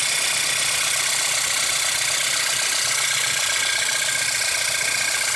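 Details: 2008 VW Passat 2.0 TSI idling with a fast, light ticking about four per second that started a few days ago; the owner rules out the tensioner, water pump and the new oil pump, and the source is still unknown.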